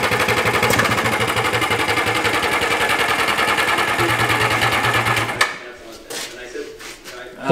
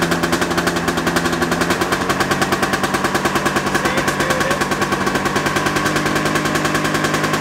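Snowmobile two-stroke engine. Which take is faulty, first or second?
first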